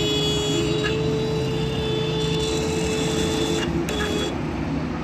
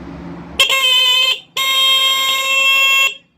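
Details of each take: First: Motorcycle horn before adjustment: thin, faint buzz cutting in and out with bursts of higher tone, far too quiet; weak horn, adjusted via 10 mm nut and screwdriver. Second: Motorcycle horn after adjustment and tightening of its 10 mm nut: two strong, clear, steady high-pitched blasts with no rattle or wavering; horn now loud and properly adjusted.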